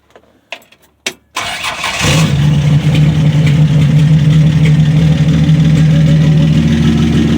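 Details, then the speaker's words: 1965 Dodge Dart, 225 cid Slant Six, after fitting heavy-duty brass-contact distributor cap and NOS rotor, straight pipe exhaust, no muffler; few cranks then catches into loud, even idle, no miss or knock: normal cold start. "Ah, yes, that lovely sound, that awesome sound of the Slant6. Makes you tingle, don't it?"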